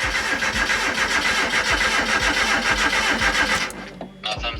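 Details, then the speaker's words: Turbo Mazda Miata on MegaSquirt DIY PNP during an e-tune, no throttle: starter turns the engine at about 3.5 beats a second without a single fire, then stops; crank no-start, cause unknown. "So now the issue I have is the car just cranks, but it won't even gurgle, like it won't start at all."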